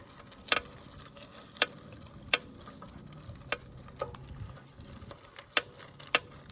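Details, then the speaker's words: New Cannondale SuperSix EVO CX cyclocross bike on first ride: sharp, irregular clicks about once a second as the rider shifts weight forward; clamp tightening didn't fix it; rider read it's a known frame issue with a simple seat post fix. "seat poost is making a little clicking sound when I move forward don't know what that"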